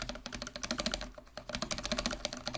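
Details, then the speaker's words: Mechanical keyboard with Cherry-style stabilizers, spacebar lubed with Permatex 81150 dielectric grease: fast crisp typing with almost no rattle, unlike unlubed keys. "can hear that there's almost no rattle"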